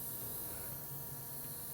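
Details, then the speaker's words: FORTE ZA65/50 air compressor running after two years of moderate use: steady hiss behind the low compressor hum from air escaping near the valve. The leak was fixed by tightening a nut. "ну по звуку Ми зрозуміли що десь Отут в в районі цього клапану відбувається якесь шипіння"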